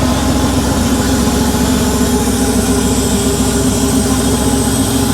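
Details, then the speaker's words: Rebuilt Porsche 911 3.2 Carrera engine on test stand, cold start, second or third start, 34°C day: even, steady cold idle with smooth burble, slightly fast and a little rich, no smoke, misses or knocks; normal. "It didn't blow any smoke. It is running a little bit rich, but it is on cold start."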